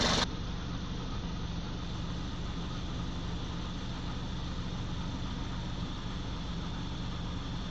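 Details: 2019 BMW X4 30i G02 idling stationary after coolant loss and a low-coolant warning, topped up with G12+ and distilled water, no other warnings: steady even idle, low hum and faint high whirr; owner unsure whether the noise is normal.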